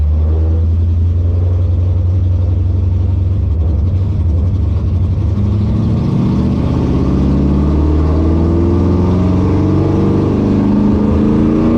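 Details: 1957 Chevy delivery with Hilborn mechanical injection, warmed up after valve lash set by feeler gauge: uneven loping idle stumbling when revved, not smoothing out warm; owner suspects lean misfire, maybe too little fuel needing a pill change.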